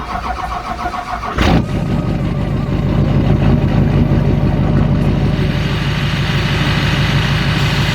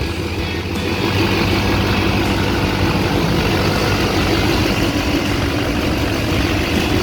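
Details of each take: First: Chevrolet Duramax diesel: cranks, catches and idles with a steady low hum under the clatter, suspected from the idler pulleys, before replacing them; humming noise at idle. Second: Chevrolet Duramax diesel idling after replacing both idler pulleys suspected of a humming noise: even diesel clatter with no hum or whine over it, and the accessory drive sounds quiet, so the fix appears to have worked.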